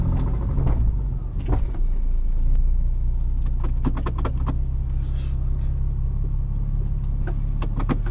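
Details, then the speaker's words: Porsche Boxster on road test over rough road: sharp knocks in bursts over deep engine and road rumble at low rpm, with suspension and sway bar noise; suspected rod knock, not confirmed. "That rod knock though, that knock."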